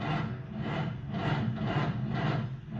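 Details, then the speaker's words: Engine with lost fuel prime, after priming carburetor and refitting factory filter: starter turns slowly, about two labored swelling-and-sagging strokes a second without firing: slow cranking. "Come on, baby. That's a really slow start."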